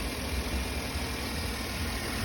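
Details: 2008 Chevrolet after misfire repair on the cylinders: steady, even idle with a smooth low rumble and no stumbles or missed beats; running cleanly on all cylinders.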